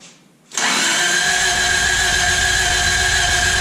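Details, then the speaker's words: 1986 Toyota Corolla AE86 parked since 2010, charged battery fitted: even, fast starter whir, engine turning over but never catching, one near cough; plugs to be pulled next. Crank no start. "I think I'm going to pull the spark plugs to see what they look like. And then, yeah, we'll just go from there. Cough, though. Almost."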